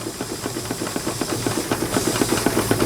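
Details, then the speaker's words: Miniature model steam engine, temperamental: quick regular chuffs about four a second with steady hiss, beats uneven and fading as it loses steam; suspected needs a screw adjustment or is tight inside. "probably just got to run that little screw in there almost I can hear it losing losing Steam it wants to go"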